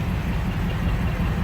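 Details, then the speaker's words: 2018-2019 Ford Mustang after a Ford dealer oil change, previously ticking instantly; low, smooth idle rumble with no top-end ticking, car sounds really good, normal idle. "so far the car sounds really good no ticks so far"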